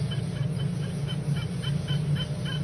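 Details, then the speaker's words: 2019–2020 VW Gol G8 with outer belts removed, on cold first start: a short chirping squeak three to four times a second over a low hum from the water pump bearing, louder under timing-belt load. "com o peso da correia, esse barulho aumenta."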